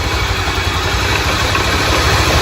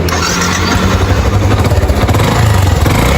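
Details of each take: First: Single-cylinder motorcycle just started after its valves were cleaned; compression has risen. Holds a steady, even idle with a firm low thump and no misses; running right. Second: Motorcycle labouring uphill with a pulsing low toc-toc knock under the exhaust; suspected piston skirt slap, with the bike losing power and burning oil; idle noise is attributed to the clutch basket.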